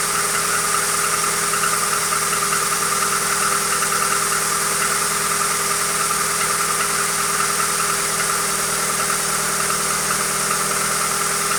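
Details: Hyundai Accent engine at steady idle, a thin squeal on top and a faint repeating knock underneath of roughly two to three per second; knock source unknown.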